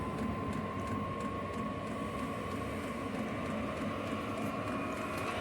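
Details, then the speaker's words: 5 kW diesel heater on a mobile workshop cart at first start after priming the fuel: steady, even roar with a faint fuel-pump tick about twice a second, no surging or popping; burning normally. "Yeah, everything seems to be working. Oh, it just sounds like she's coming to life. That's the pump clicking away."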